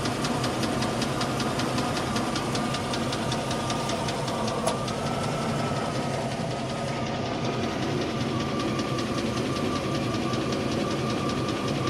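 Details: 1998 Range Rover P38 idling: sharp, even metallic tick, now heavier-sounding but still at valve speed; suspected valve-train clatter, cause unconfirmed.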